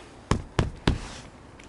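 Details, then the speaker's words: Lada Vesta: three sharp hollow knocks about a third of a second apart from the rear cabin, caused by the rear seatback locks letting the seatback move, not the rear struts; foam packing under the locks stopped the knock. "есть одна причина со временем сзади какой-то стук и все начинают кошмарить заднюю стойку кошмарить вот эти боковые стойки ну все кошмарить но не понимает то что вся проблема в этих замках"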